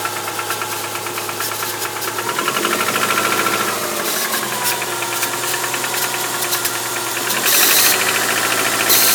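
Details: 2001 Subaru Outback 2.5, 278k miles, valves adjusted: a fast metallic rattle, about three per second at idle, thickening as revs climb. It is worst for the first 10-15 minutes on acceleration and reduced once driven; cause unknown.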